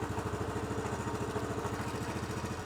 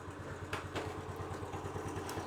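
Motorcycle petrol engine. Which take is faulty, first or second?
second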